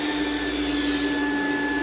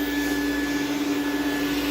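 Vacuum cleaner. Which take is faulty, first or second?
second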